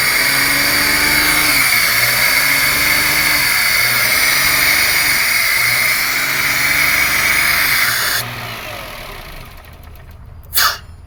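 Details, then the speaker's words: 2005 Toyota Passo after new relays fixed its no-crank. Fast idle over 1,000 RPM rises and sags about every 1.5 seconds, never settling, because idle control isn't working, a fault caused by a previous repair. Surging idle from an idle control fault. "Okay, so now we're flowing current, but we still have a problem with the idle control."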